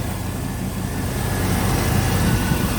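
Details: 1996 Chevy Tahoe 5.7 V8 that would not start after three days of heavy rain. It started right up after the distributor cap was dried with a blow dryer and sprayed with WD40. Steady, even low rumble at idle with no misses or stumbles.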